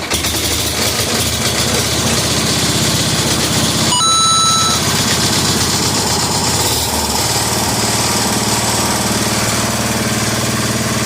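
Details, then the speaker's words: 1961 IH Cub Cadet Model 70 garden tractor, 7 hp Kohler single-cylinder, first start in years after sitting, on starting fluid and choke before carb teardown: steady fast even thumping, no misses or knocks; runs like a top. "Runs like a top."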